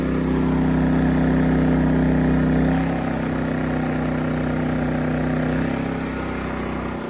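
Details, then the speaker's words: Champion Dual Fuel 2500-watt generator running on propane at an aquaponics site, recorded from about 5 feet away; steady drone that drops a step in pitch and loudness as the load is unplugged, running easier unloaded, normal. "hear the generator run easier because it's not working at all."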